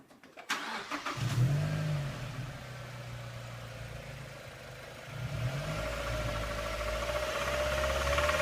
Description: Recently my 2007 MX-5 Miata started making a rattling noise. I am confused as to what the issue is, but I believe it may be "rod knock".